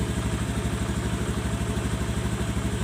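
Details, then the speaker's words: Automatic scooter after a full service and CVT upgrade to fix a sticking, self-revving throttle: on starting it settles into a steady, even idle of about three beats a second and no longer races. Normal idle. "Oke, ya. Tidak besar langsung meraung-raung guang guang guang gitu, Guys, ya."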